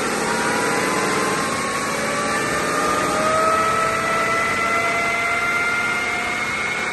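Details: BMW X5 F15 3.0 diesel, 300,000+ km, used replacement front differential: steady airplane-like whine drifting slightly upward in pitch; oil held metal shavings, bearings fine but ring and pinion damaged, from unchanged or wrong oil.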